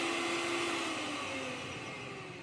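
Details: Mixer grinder motor with a high, steady whine winding smoothly down as it coasts to a stop. The motor is healthy; the noise and leak came from the jar, whose bush is worn and leaking.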